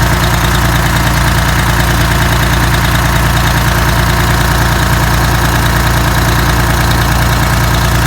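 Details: Detroit Diesel 6V92TA two-stroke after installing Jake brakes on the passenger side, test run once oil reached the jakes: steady even idle with strong regular low beat and constant tone; normal idle, successful test.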